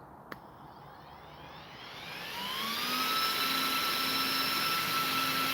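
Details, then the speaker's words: Game Changer RC cooling fan mounted over motor and gears of an RC car, on a 3S 1300mAh Z-pack: faint click, thin whine spinning up over a couple of seconds to a steady high pitch; running smoothly. "Solid setup. Sounds mint. Sounds like I'm stinking using a supercharger."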